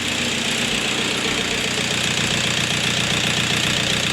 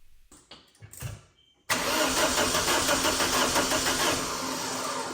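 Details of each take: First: 2000 VW Passat 1.9 TDI, off the road almost five years, first start after replacing a faulty injector that caused engine shaking; steady diesel idle with even clatter, slight vibration (owner suspects engine mounts), otherwise smooth and healthy. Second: 2000 VW Passat 1.9 TDI diesel cranks, catches and runs with an uneven, lumpy, shaking idle from a faulty injector.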